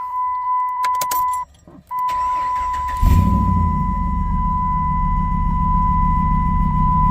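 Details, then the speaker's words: 2007 Dodge Ram 1500 HEMI, check engine light on and flashing, before downstream oxygen sensor replacement: engine catches after cranking, then idles rough and lumpy, even backfiring; OBD2 scan indicated oxygen sensor problems, cause not confirmed. "engine engine lights on as well you hear it so it's not it's not doing whoa even backfired you heard it you hear it so just sitting here idling it's not want to do very well"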